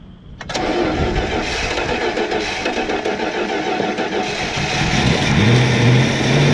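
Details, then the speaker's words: 1966 Plymouth Fury III 318 V8, sat 25 years, first start on an electric fuel pump: catches and holds a high, steady fast idle that never drops, throttle staying open by itself; stuck throttle. "why in the world is still open like that oh it doesn't sound very good"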